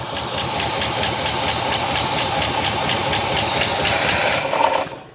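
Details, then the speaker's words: 1963/64 Oldsmobile 98 V8 revived after years sitting, even steady idle with quick light patter and no misses before it runs out of gas; owner suspects old gas. "let's let this thing run for a little bit I just want to hear it run get that oil pumped up in the in them valves Lube everything back up"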